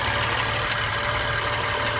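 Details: 2016 BMW M3 at idle: fast, regular light tapping over a steady idle hum, a rhythmic engine knock whose source is not pinned down; cause suspected, not confirmed.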